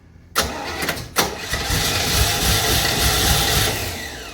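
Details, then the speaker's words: 1968 Camaro, 327 V8 with 4-speed, first start attempt with a swapped-in Holley carburetor and no fuel supply hooked up: starter cranks, engine fires briefly, roughens and dies; fuel starvation, not the needed pressure at the carburetor. "It's teasing me. I don't have any I don't have the six lbs I need up there at the carburetor, but I'll see if I can put these I'm going to see if I can get some fuel in the bowl real quick."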